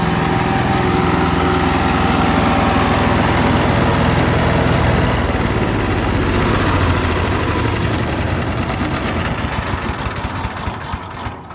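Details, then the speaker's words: Ducar woodchipper with a 420 cc engine, which fires up every time and is good on gas despite heavy use. Steady, even drone at constant speed, no knocks or misses, then it winds down at shutoff, healthy. "Okay, so again, fires up every time, no issues. It's actually pretty good on gas."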